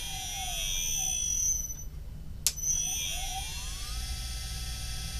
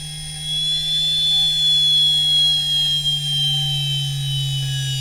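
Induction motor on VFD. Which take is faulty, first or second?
second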